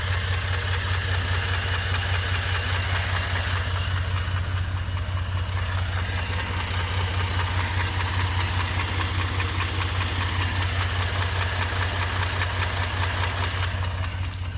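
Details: 2007 Jeep Cherokee Laredo at idle: steady, even knock at about two and a half per second rides over the idle throughout; suspected internal engine knock, cause not pinned down.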